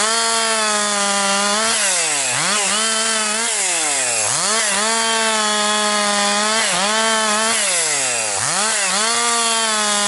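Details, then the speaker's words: Rebuilt Husqvarna 262XP chainsaw, nearly broken in, really woke up over the last couple tanks with decent pull, bucking dry, dusty pine; crisp high two-stroke scream sags in pitch as the bar bites, then snaps back fast; normal cutting under load. "And it's really woke up here this last couple tanks of gas here, so doing very good. Got decent pull."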